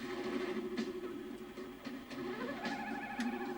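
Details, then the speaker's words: JVC HR-7700E / Ferguson 3V23 VHS recorder (c.1980) after replacing tired belts: tape audio wavers with quick uneven pitch wobble on held tones; capstan speed variability, flutter not wow; capstan motor or belt suspected, unconfirmed. "Oh dear. So we have some serious uh capston um variability you know that is that is uh flutter not wow."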